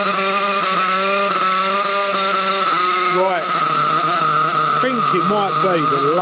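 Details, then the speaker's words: Nitro RC Trophy buggy after low-speed needle adjustment: high buzzing engine holds, then dips and surges unevenly on throttle blips with hesitant pickup; owner suspects the low-speed needle running lean. "speed eagle's running a bit bit on the lean side. I'm going to turn it down a bit more."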